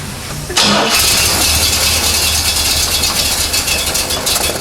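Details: 1970 Chevrolet Corvette C3 after fixing missing key-on ignition power to the distributor: short crank, fires promptly and settles into steady even idle; timing possibly one or two teeth off, starts and runs.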